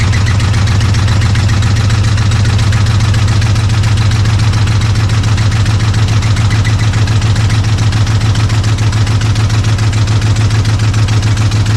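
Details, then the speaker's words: Chevrolet Silverado, suspected broken flywheel: steady low idle with even knocking near 3.5 per second, quieting with no throttle, runs semi okay; knock sensor issue also present; engine noise at idle, cause unconfirmed. "So, now you heard that noise and you notice it quieted right on down. So, uh as long as I wasn't putting any throttle to it and uh and then it wanted to run semi okay."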